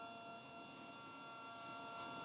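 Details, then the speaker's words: Sony WM-190 Walkman cassette player with a new belt and original spent or leaking electrolytic capacitors, playing tape at maximum volume: steady hiss and buzzy crackle with a thin fixed tone, which the owner blames on the capacitors. "is all because of the capacitors. Can you hear that? And the volume is to the maximum."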